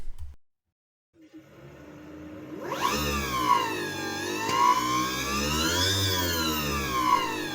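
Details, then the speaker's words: Vectrix electric motorcycle, about 25,000 km, during a gearbox oil change: after a pause a smooth whine climbs and dips with the throttle, even and steady. This is the normal drive sound; loose crown-gear bolts would instead cause a squeak. "Así suena una Vectris."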